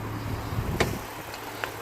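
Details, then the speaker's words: 2005 BMW 116i 1.6 petrol, off-road about 3 months, would not crank (CAS fault A0B4); started immediately after gently tapping the failing starter motor: quiet, even low hum ticking over steadily, one dull thump, normal idle with no misfire. "Just a few gentle taps and try to start it, and it started immediately."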